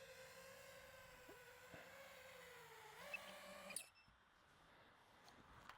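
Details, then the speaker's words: iFlight Nazgul Evoque F5 V2 FPV drone: shrill steady screeching whine over the motor hum that cuts out when throttle drops; a loose, improperly tightened propeller, fixed by tightening with a socket. "you could hear it that it was screeching like something was loose tighten that up that's better good to go this time everything's tighten up"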